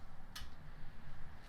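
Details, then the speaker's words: 2013 Harley-Davidson XL1200C no-start after sitting about six months: two sharp clicks a second apart, no cranking. Battery, likely original and about eight years old, drops to 4.5 V, so the starter relay clicks and the headlights flash. "this one drops to four and a half and because the voltage is so low it doesn't even engage the starter the relay just clicks on and off and the headlights flash"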